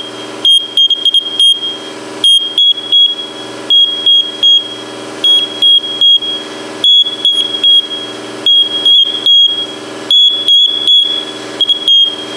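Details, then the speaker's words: First Alert smoke detector, cover off during teardown: shrill high-pitched beeps in uneven clusters, about forty a minute, in a quiet room; sounding continuously, no visible fault, owner suspects the smoke chamber. "I really don't see anything that would be causing that uh beep like that continually. Something is causing this to beep."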